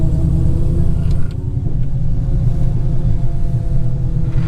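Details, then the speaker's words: Dodge Challenger SRT Hellcat with fully built MMX engine and ported supercharger, first drive after rebuild: droning mid-pitched howl over road rumble, shifting with speed; rear differential gear whine, not supercharger, differential likely needs rebuilding. "All right, so I don't know if the camera's gonna pick it up, but this differential is screaming, you guys. So we're probably gonna have to send this differential back to get rebuilt, because that is screaming."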